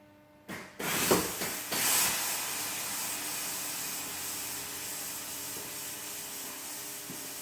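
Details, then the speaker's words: Car air suspension, location of leak unknown, corner lifted then dropping: a steady, loud hiss of escaping air after brief handling noise; air suspension air leak. "Go ahead and air up the car. You guys can probably hear the leak, but I'm going to, let's see if I can get you guys in a good spot."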